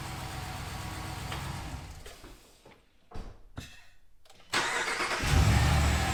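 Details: Ram Rebel Hemi V8 at first start after swapping the factory intake for a Corsa closed-box dry-filter air intake: fires after a brief lull and climbs into a deep, throaty rev with steady pulses. Runs clean and healthy.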